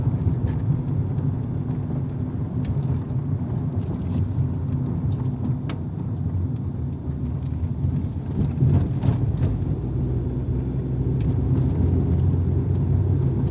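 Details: 1997 Nissan Altima idling with coolant at operating temperature, after a rebuilt MAF sensor was fitted without its O-ring to cure random lean trims pegged at -25%. Steady, even idle with no misses or hunting; seems fixed, though the owner thinks the idle sounds different, possibly from the missing O-ring.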